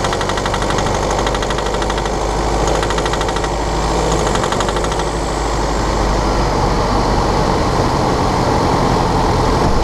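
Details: 2013 BMW 520d F10/F11 N47 diesel, cold and under load at 1500 rpm: hard metallic ticking rattle, roughly three per second and uneven, over the running note; faulty injector, pinpointed with ISTA test.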